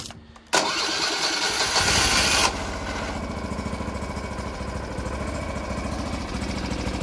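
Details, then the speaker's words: YARDMAX YD8105 track barrow start in neutral with choke: starter churn, engine catches and settles to steady, even putter; belt not seen spinning; normal cold start. "Did she fire it up? She fired up, but I really didn't see the belt spinning."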